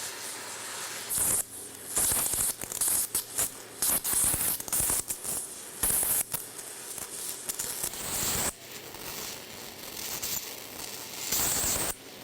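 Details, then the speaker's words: Multiplaz 3500 hydrogen plasma welder in TIG-style arc mode, set between 150 and 170 V, torch brought to 2 mm from the grounded work: it crackles and sputters calling for the arc, then settles into a steadier hissing arc with a few pops; stable arc. "nous approchons le poste jusqu'à 2 mm on l'entend claquer ratatouiller ça veut dire qu'il demande l'arc et là nous avons notre arc"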